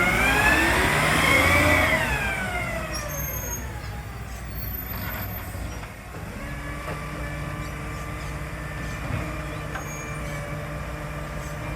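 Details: Marion garbage truck SL01300 diesel after exhaust leak repair; steady rumble that revs and settles, air brakes hissing, no exhaust puffing or ticking; normal running.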